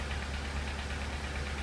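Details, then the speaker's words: 2002 VW Polo 1.4 petrol idling with engine light flashing and code P0304: low uneven stumble with rough lumpy pulse from a dead cylinder 4, coil tested in situ and found bad. "These are your coil packs, 4, 3, 2, 1. Just going to show you how to test that one where it's in situ. You can hear the misfire from number 4."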